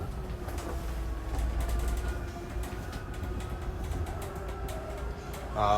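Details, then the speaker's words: 2023 Jayco Jay Flight 265RLS travel trailer slide-out extending: steady motor drone with faint even gear whine; gear grinding noise near full extension is the motor reaching its limit and is normal. "going along with this before it fully extends it is going to sound kind of scary it's just you know something can gear grinding noise but it's completely normal all of this is just the motor reaching its limit"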